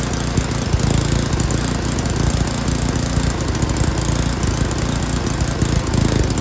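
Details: Yard King snowblower, full throttle, choke on; low, uneven chugging that steadies a little while the carburetor high-speed mixture screw is adjusted.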